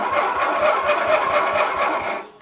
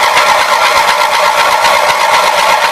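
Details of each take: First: Roper Rally lawn mower with 18 HP twin Briggs engine, starter jumped directly; strong, even cranking about four chugs a second with equal compression strokes, good battery; compression sounds healthy, normal cranking. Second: Roper Rally lawn mower with 18 HP twin Briggs engine, bought as non-starter: starter spins the engine evenly for about four seconds with no firing; cranks but will not start, no spark at either spark plug.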